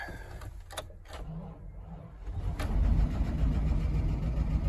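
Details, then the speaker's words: Old Chevy truck jump-started after sitting: a few cranking clicks, fires right up and settles into a steady low rumbling idle with slight lifter tick that owner remembers goes away; normal start. "There you have it. Fired right up. Wow. A little lifter tech, but as I remember, it goes away. Look at that. Runs like a top."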